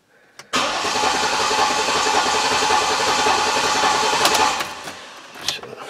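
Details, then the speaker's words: Auction Jeep Liberty 3.7 that starts occasionally with mechanical noise and won't idle: starter cranks about four seconds with uneven, lopsided beat, never catches. "yeah you know I'm not gonna sit and just burn this starter off the fact is it doesn't sound good"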